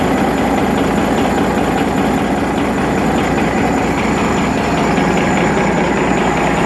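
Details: Rebuilt Detroit Series 60 diesel at steady idle with a light, even knock each firing cycle; one injector was adjusted at a lower rate and is knocking.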